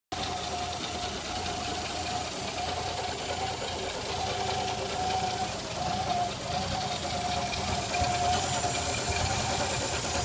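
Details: 1986 Nissan 300ZX petrol engine running with a thin steady whistle over an uneven idle: vacuum leak.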